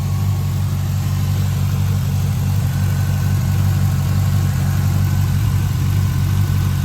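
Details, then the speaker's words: 2011 Camaro SS after an oil change and refitting the factory airbox with an adapter for the airbox vacuum line: a deep, steady V8 idle burble with an even beat and no misses, ticks or hiss. Normal idle. "All right, she's running. It didn't blow out of there. Everything's hooked up."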